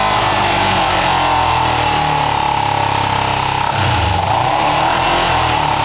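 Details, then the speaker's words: Kawasaki ER5 twin, warming up after carb float height work, with good spark and new coils: a lumpy idle with back spitting and popping, yet the closest it has come to running well. First third and full throttle are good, half not; the carbs are suspected. "yeah I mean you can hear some oh some back spitting and some popping and so it's not overly comfortable but that is the closest I've had it to running well which is interesting"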